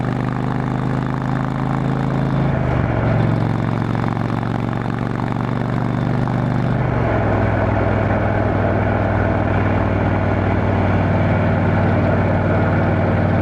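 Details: Motorcycle on a road test ride after replacing the failed exhaust gasket with a similar-thickness one: steady low drone shifting pitch smoothly with throttle, no ticking or puffing from the pipes; exhaust leak fixed, sealed and healthy.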